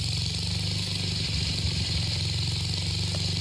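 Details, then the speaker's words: 1966 Simplicity Sovereign garden tractor, Briggs & Stratton single-cylinder with points ignition, started with starting fluid: steady, even putter with no stumbles or dropouts; ignition coil firing cleanly, running healthy. "But when you hear this thing really start to roll, so any questions of does the coil really work?"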